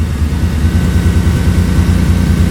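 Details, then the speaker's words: Toyota truck with swapped 3.4L engine after new plugs and wires, warming up, some exhaust leak noise; deep idle with a faint occasional stumble, misfire traced to cheap aftermarket coils, owner first suspected a wet-plug injector on one bank. "You can hear it's kind of starting to miss a little bit now. So yeah, we'll have to test those injectors, make sure those are good."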